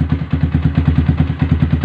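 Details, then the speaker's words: Yamaha R15 on its first start after installing a 62 mm cast cylinder block: an even, steady single-cylinder thump about seven beats a second, with no tapping or misses. Smooth, healthy idle. "Ini Pak. Suaranya halus men."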